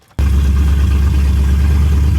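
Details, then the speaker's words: 2006 Mustang GT V8 after a home rebuild and new tune. Catches into a loud, fast, lumpy idle that stays high off the throttle, smoking and smelling super rich; driver's side plugs were later found fuel-caked. "Okay, so here's an update. I got it to start that one night and it smelled it was idling super rich."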